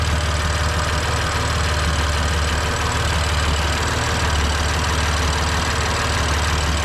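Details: 2020 BMW F82 M4 S55 engine, cold start idle: light uneven ticking rattle over steady hum from camshaft bolt issue on exhaust side, believed gone when warm; injector ticking is normal.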